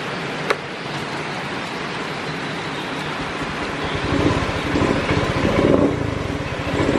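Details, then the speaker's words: Honda Beat FI scooter: small single idles unevenly, sagging and surging near stalling; runs normally with the engine oil temperature (EOT) sensor unplugged, so the EOT sensor signal is faulty. "Berarti masalah di mana kamu bro masalahnya di bagian sensor eot itu kepanjangan Kalau enggak salah in ya engine oil temperature ya kan berarti temperatur olinya itu enggak sesuai yang diinginkan"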